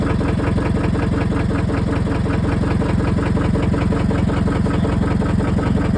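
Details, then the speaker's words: Scion tC that hadn't run in a month after a starter replacement: steady idle with a hard, regular knock on every firing pulse, about two to three a second; rod knock, engine done for. "[Music] Something's in there knocking. [Music] That [ __ ] is done for, bro."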